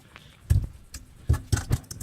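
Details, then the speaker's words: JDM Nissan 300ZX Z32 Fairlady Z, driveshaft jiggled by hand from underneath during exhaust removal: dull loose clunks in bursts; flogged-out centre bearing with almost none left, the noise earlier suspected as the front uni. "hear that? That is a flogged out centre bearing. In fact, there's pretty much none of the bearing left. That's the noise."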